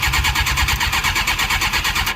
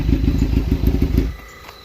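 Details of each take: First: Suzuki GSX-R 600 SRAD that sat for years: fast, even starter cranking with steady compression pulses, good compression but it won't start; it later ran after priming and starting fluid. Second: Suzuki GSX-R 600 SRAD, bought cheap after sitting for years, warm at 180° temperature: about a second of deep, even idle rumble with regular pulses before cutting out; healthy normal idle.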